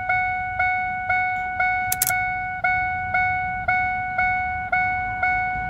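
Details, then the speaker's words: 2002 Ford F150 with the key out and the radio staying on: the chime dings steadily about once a second with the wipers off and goes erratic with the wipers on. A fault in the wiper circuit is causing the chime. "there i get a regular ding with them off something's going on in that wiper circuit that's causing this"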